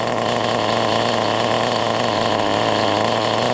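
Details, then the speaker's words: Nitro RC car engine after high- and low-speed needle tuning, running nearly out of nitro fuel. High, buzzy note holds steady without sputtering or surging; it runs clean and well tuned. "I'd say that's about there now I'm at a Nitro which means I can't go no further but she's there now look running like a"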